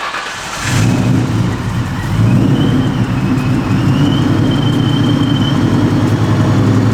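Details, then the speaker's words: 2003 Ford Mustang Mach 1 V8, freshly Vortech-supercharged with a Diablo Sport tune, no coolant in yet. A smooth, deep idle carries a faint steady supercharger whine, with no ticking or misfire. Running great. "This thing is running great, dude. Listen to that. You can hear it. That's so sick. This Mustang is running extremely well."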